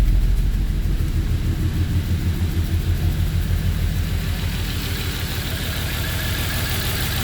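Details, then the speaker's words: 2010 Volvo XC90 idling rough: uneven, lumpy pulsing rumble and engine shaking from misfires caused by bad ignition coils, one melted inside; the coils were then replaced. "how the engine is shaking? That's because bad coil packs. We got brand new spark plugs and bad coils."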